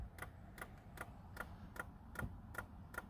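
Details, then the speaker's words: Stock 2003 Ford Mustang V6 manual, start attempt: quiet even clicks about two or three a second, no cranking; owner thinks the battery is dead, later wonders about a blown fuse, cause unconfirmed. "well then i guess that is an issue [Music] i think the battery's dead"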